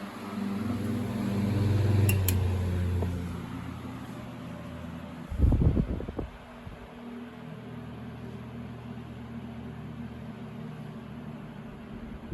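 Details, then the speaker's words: Restored 1950s Westinghouse Super Poweraire fan: switch click, hum drops to softer steady low-speed whir easing down gradually as the resistor warms and stabilizes; normal for its age. "You can hear it slowly tapering down. I'm sure as that resistor is warming up, it's using more and more voltage till it stabilizes."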